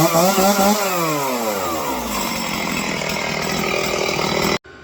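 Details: Honda Fortrax ATV after carb cleaning, previously not idling at low end: revs fall smoothly from high to a steady even idle that holds without stalling; carb now set right.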